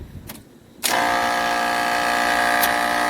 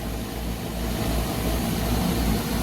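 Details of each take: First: Trane package unit with newly replaced three-phase scroll compressor: harsh buzzy droning hum, no pressure differential between high and low side; compressor running backwards, fixed by swapping two power legs. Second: Trane package unit after compressor replacement; compressor had run backwards with no pressure differential until two power legs were swapped: now a steady, even low hum without rattle, pressure differential established immediately.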